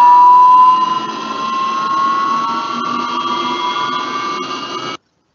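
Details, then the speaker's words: Electric drivetrain motor bearing whine: steady piercing tone near 1 kHz creeping upward as the motor spins up; the same bearing set was noisy again in another motor, confirming the bearing, and the motor was silent after a bearing change. "so is it bearing related or is it not bearing related let's exchange the bearing let's figure out if same bearing set it's gonna be noisy again in another motor and actually it is so it's the bearing"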